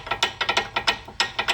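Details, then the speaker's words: 2003 Toyota Sienna front brakes, previous botched job used silicone instead of hardware kit; silicone removed, pressing brake gives quick uneven metallic clicks, about a dozen in two seconds, loose pads rattling in the caliper bracket from missing hardware clips. "so I removed all of the silicone just to show you guys what it sounds like without a hardware kit this is the noise you would hear every time you push the brake"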